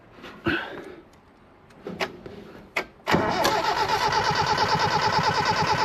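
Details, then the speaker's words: 1977 Daihatsu F10 with a 1990s 3K engine swap, flooded and started: a few knocks, catches after about three seconds, then a loud, even, rumbly idle. Louder because its home-built extractor primaries match stock exhaust size. "This one's way louder, eh? I suppose the primaries on the extractors I build are the size of the exhaust on a stock one. So, it's going to be pretty rumbly."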